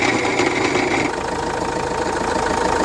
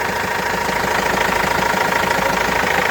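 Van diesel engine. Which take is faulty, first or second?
first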